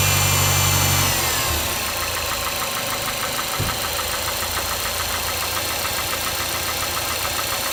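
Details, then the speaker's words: Mazda 6 MPS at idle: light, regular knock at about three per second over the engine note, present up to 1500 rpm and absent at higher revs. Engine knock at idle, cause unknown. "так проблема в следующем здравствуйте значит двигатель постукивает на холостых оборотах до полутора тысяч короче"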